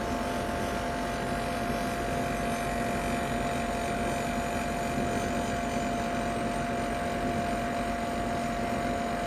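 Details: Ninja Foodi 8-in-1 cooker running cold, though the owner says the unbearable noise comes after it warms up: constant drone with a thin, steady high whine that never changes pitch; abnormally loud running, cause not identified.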